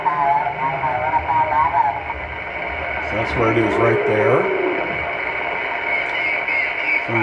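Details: Ham radio on 20 meters near 14.300 MHz: hiss with repeating warbling, buzzy bursts every 29/58 kHz that drift slowly up and down the band. The radio, power supplies and house sources were ruled out; it arrives through the antenna. Source unidentified.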